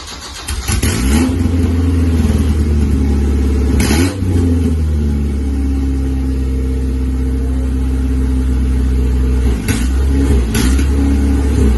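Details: Isuzu Rodeo 4ZE1 after a top-end rebuild, restarted with no exhaust fitted and no coolant or other fluids except oil: starts and settles into a steady, even, loud open-pipe idle, smooth, with no knocks or ticks. Normal idle.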